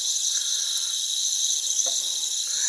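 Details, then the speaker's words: Central AC unit low on refrigerant: steady high airy hiss from leak at evaporator distributor tube sitting in water, piston metering device; refrigerant leak. "I can hear it leaking in here. Can you hear it? Let me take this cover off, but I definitely hear it leaking up here."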